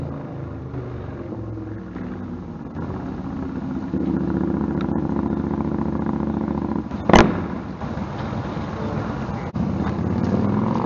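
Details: Stryker V-twin on a warm-engine road ride after new header gaskets fixed leaking headers (about 11,000 miles): even note swelling smoothly as throttle opens over wind, no popping, backfire or surging; power feels linear. Normal exhaust under way.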